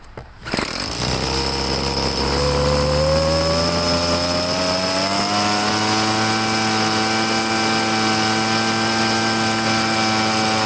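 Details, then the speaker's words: Two-stroke leaf blower, restarted: snaps to life and settles into a steady, even high-pitched drone with a clean rising pitch on throttle; pretty good power, normal running. "I mean, it seems to have pretty good power and everything."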